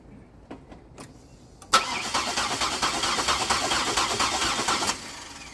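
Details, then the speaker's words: GM 3800 V6 after coolant got into the cylinders, cranked on a freshly charged battery on a 37°F day with the front three spark plugs removed. Fast, even starter cranking with a light whooshing beat and no firing for about three seconds clears the flooded front cylinders. "okay I charged the battery and uh just give it a uh just going to give it a few cranks to clean out the front three cylinders"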